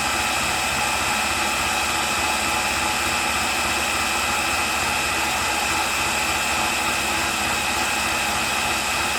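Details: Makita drill on a repaired lithium-ion battery in a run-down test rig: high motor whine at constant pitch with no dips, surges or rattles, running strong at full speed.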